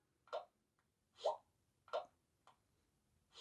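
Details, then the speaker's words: Sony Xperia 10 Plus bottom loudspeaker playing music and third-party apps like Facebook games at any volume; short irregular pops and crackles about one every half second; speaker popping and crackling. "not supposed to be there you heard it so there's a crackling something coming from this speaker down here is making that sound on third party apps"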